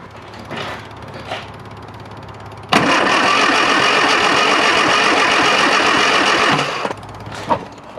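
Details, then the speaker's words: Classic Mini Clubman Estate, carburettor initially dry of fuel: starter churns evenly about four beats a second for four seconds, never catches while checking spark; cranks but no start from dirty carburettor. "just taken the three screws out of here to see if there's any fuel in there and you can see there is fuel in there now but there wasn't when I first took this off"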